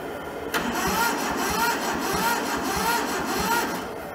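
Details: Toyota SDK4 skid steer diesel, bought rusted and frozen, with the starter solenoid jumped and fed from a temporary diesel tank: even cranking with a steady whir, about two compression beats a second, never firing. Bleeding the injectors comes next.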